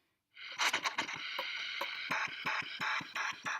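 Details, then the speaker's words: Brass instrument reassembled after cleaning, blown without the mouthpiece to test the valves: airy puffs choke into a rough, hissy rush. A valve is in backwards, probably the second; the fix is reinstalling with the number facing the nose. "Can you hear that noise? That means that one of my valves is in backwards."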